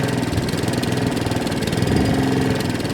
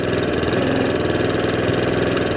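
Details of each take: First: Second-hand Allett Kensington mower with Kawasaki FJ100 engine before repair: revs rise and sag unevenly with a slight miss, hunting and surging from a fuel delivery problem, a dirty carburettor, visible as the carb arm moving. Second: Allett Kensington mower with Kawasaki FJ100 engine after carburettor cleaning: even, steady low-speed putter with no rise and fall, no hunting or surging at low or top revs, running smoothly again.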